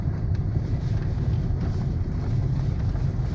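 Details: LADA Granta FL passenger door after fixing a knock in the door card traced to loose handle bolts, now tightened: steady low road rumble and some wind over bumps with no knocks or rattles from the door.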